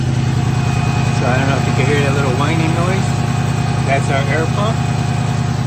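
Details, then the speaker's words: 2001 Cadillac DeVille with code P0410, just after start-up: a faint steady high whine over a smooth idle from the secondary air pump. It runs about 30 seconds until the relay clicks off, and idle RPM changes. "pump is standing there through the diverters a vacuum is opening there's also a relay we can hear it turn off it lasts for about 30 seconds"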